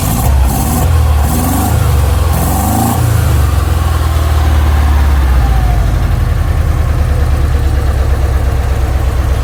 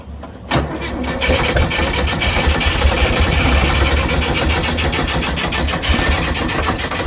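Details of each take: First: 1959 Porsche 356A restarted after correcting its plug leads to the 1-4-3-2 firing order (it had been running on only 2 cylinders): after brief cranking it settles to a steady, even idle with a firm beat on all cylinders. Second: 1959 Porsche 356A with good compression, rebuilt carburetors and an added fuel pump: it catches and runs with a lumpy, uneven beat and missing pulses, apparently on only 3 cylinders.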